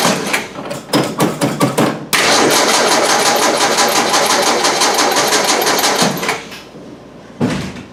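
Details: Crank no start right after a fuel pump replacement; starter churns steadily but engine never catches. Fuel is reaching the carburetor, so owner suspects a plugged filter or carburetor problem, not confirmed.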